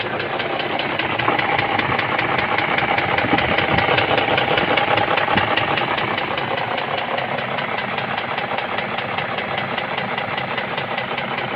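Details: BMW M62B44 TU V8: sharp, regular metallic knocking about 2.5 times a second over the idle from the bottom end, confirmed piston knock.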